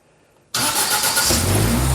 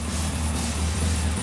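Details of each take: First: Holden Gemini build, first start attempt with Haltech engine management and a basic start/idle fuel map: the starter spins the engine with a rhythmic chug but it never fires, so the fueling is changed before retrying. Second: Gemini at first start after the build, running Haltech engine management on an initial fuel map: an even, deep low rumble at idle with no knocks, ticks or stumbles. The engine runs smoothly.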